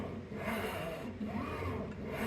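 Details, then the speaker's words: Glowforge Plus laser cutter bought as not working (stopped mid-cut): gantry moved by hand gives a dry rasping rub that roughens at one spot; binding heard, owner unsure whether hanging brackets scrape along the bottom. "fairly smooth. I do hear some binding right there. I can't really see. There's these brackets that hang down all the way to the bottom of the machine. I can't tell if they're like scraping along down in there."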